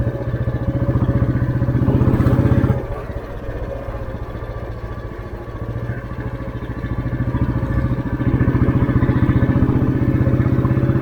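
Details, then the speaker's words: 1988 Royal Enfield Bullet 350 (80s CI engine), throttle opened from very low speed in top gear on a village road: steady single-cylinder thump picks up cleanly with no knocking; healthy engine, normal acceleration. "ഇനി വണ്ടി ഒന്ന് കയറണം എന്നുണ്ടെങ്കിൽ ഒന്ന് just ഒന്ന് accident കൊടുത്താൽ മതി."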